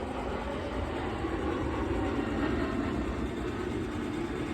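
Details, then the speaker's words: Pit Boss 850 pellet grill after flame-out from running out of pellets, prime button held: steady even rumble with constant gritty churn, no knocks or stalls; auger feeding pellets normally while priming. "It's feeding the auger more and more pellets. Okay, so hold this, try this, and hold it for a couple seconds. Let it go. As you can hear, it's running those pellets through."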